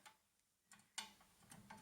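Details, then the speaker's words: Harrison mill gearbox under disassembly: turning the spindle slowly by hand gives sharp, uneven metallic clicks as it detents and springs back; to be inspected when the spindle is removed. "Springs back like that you can hear it clicking as well can't you"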